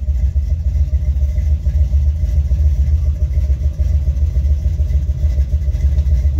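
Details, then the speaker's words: Buick 455 Stage-1 Regal-T after fixing the HEI distributor (new MSD low-resistance coil bushing, bad distributor wiring, worn loose connectors); deep throbbing V8 idle with slightly uneven lope, steady but still a touch rough. "car sounds like it's recovering from a bad cold I cautiously uh press the gas pedal there"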